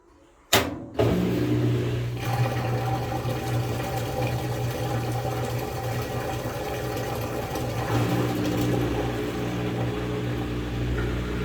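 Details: Whirlpool WTW5057LW top-load washer: clunk at start of a load, then loud steady droning hum with water sloshing; loud mechanical noise during wash, which the machine does very often.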